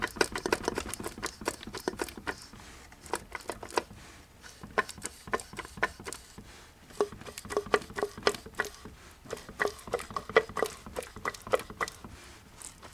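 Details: 1982 Mercedes-Benz 240D OM616 diesel, 259,000 miles, crank turned by hand: sharp dry clicks and taps each turn; piston slap, No. 3 piston skirt below gudgeon pin broken, pieces found in sump.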